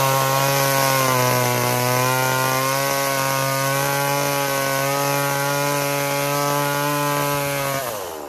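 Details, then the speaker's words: Echo CS3000 chainsaw powering a 1980s Versa Tools drill attachment, after loosening over-tight chain tension that had caused restriction and overheating; steady strong buzz holds speed while drilling without bogging, then winds down, running freely and normally under load. "I don't know why but all I did was loosen up the chain tension a little bit it's perfectly happy so makes sense we had too much restriction going going on by how tight I had the chain"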